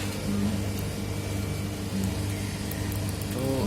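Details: Manitowoc ice cube machine, open for repair, with customer complaint of excessive noise; technician checks the fan motor: steady low hum with faint constant tone and rough rattle underneath, cause not yet pinned down; abnormal running noise.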